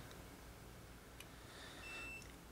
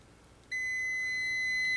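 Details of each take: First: it's telling me to turn it off because it's got that little beep beep symbol on it that says turn it off dude you're gonna kill the battery Second: Multimeter on continuity setting, probes across the metal tabs of a fuse in a vehicle power distribution center: steady high-pitched beep starts abruptly and holds; continuity, fuse is good.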